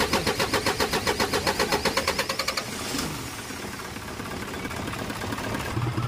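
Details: Isuzu 4HL1 common-rail diesel with low power and hard starting, code for no rail pressure: starter churns about seven or eight beats a second for nearly three seconds before catching; low rail pressure.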